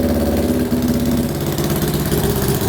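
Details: 1966 Honda CL77 305cc scrambler twin, just kick-started on second kick, idling with snuff nuts being closed: lumpy but steady idle, crisp even beat, no knocks or misfires; healthy normal idle.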